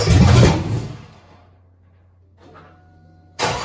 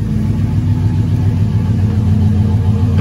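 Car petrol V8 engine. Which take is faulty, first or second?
first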